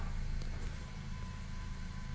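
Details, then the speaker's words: 2017 Ford Focus that died on the road and would not start because of a transmission module fault, after installing, programming and calibrating a new TCM: a steady, even, low idle hum with no knocks or misses; it now starts normally. "Ya, como se puede ver, pues carro ya enciende."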